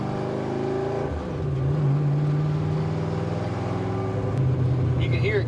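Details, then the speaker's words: 1965 Dodge Dart 318 V8 four-speed with nitrous: rough pull under throttle, exhaust stuttering and breaking up as revs climb, misfiring under acceleration; ignition timing unknown and carburetor and ignition upgrades are suspected needs. "of breaking up a little bit under acceleration but I don't [Music] mind"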